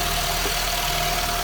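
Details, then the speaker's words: Honda CR-V (2000s) that would not start and made relay noise, running after a grounding (earth) wiring fault was fixed; it now starts without an OBD scanner plugged in. Even, steady idle with a faint constant tone and no misses: normal idle. "yes and we are successful nothing here the problem is only grounding earth"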